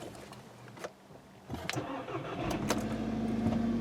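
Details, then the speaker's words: 2013 VW GTI 2.0L turbo GDI, customer reports an extended crank on the first start only, no trouble codes: a short crank, then the engine catches quickly into a steady idle; this later start is normal with no hesitation. "so after that it it starts right up"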